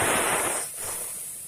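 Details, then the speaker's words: LG full-inverter refrigerator that isn't cooling, with the inverter compressor suspected dead, at a condenser/refrigerant line being cut slowly with power off. A sharp hiss bursts out then tapers off over about a second as pressurized refrigerant escapes, so the system isn't leaking. Refrigerant release from cut line. "Apakah ada freon yang keluar pada bagian pipa ini pada saat kita melakukan pemotongan"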